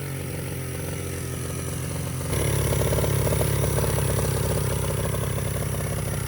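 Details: 49cc mini bike during carburetor rebuild: small single runs fast and clattery, then picks up and hangs at a raised idle instead of dropping back, even with throttle screw fully out. Owner suspects air intake; not confirmed.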